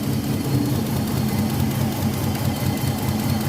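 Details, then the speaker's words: Older Nissan Maxima at idle: rough shaking idle with irregular lope, about two beats a second; two ignition coils get no signal from the ECU, traced to a failed ECU ignition coil driver chip. "तो जैसे की आप देख सकते हैं 30 में ही second और कोई सिग्नल नहीं ए रहा है इंजन इट से"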